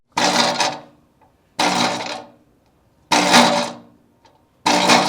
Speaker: Before we move into the second reason your scooter might not be dialed, let's do a drop test with some loose wheels, just so you guys can get an idea of what that sounds like as